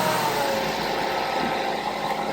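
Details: 2011 Mazda 3, suspected weak battery, started using a jump starter pack: engine catches quickly and settles into a steady, even running note with no stumble; clean, normal start.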